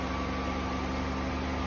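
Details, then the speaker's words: 2004 Ford Taurus, towed in no crank/no start/no comm, fixed by cleaning dirty PCM grounds (not a bad computer): steady, even low-hum idle with no knocks, misses or surges; runs cleanly, separate coolant leak still to fix. "Now, this car runs. The only thing he has another uh he has a coolant leak."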